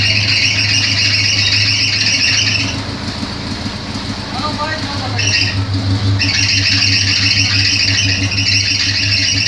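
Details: Chevrolet Opala Coupe idling with loud steady high-pitched squeal dropping out briefly then returning; slipping worn accessory belt, about to be replaced.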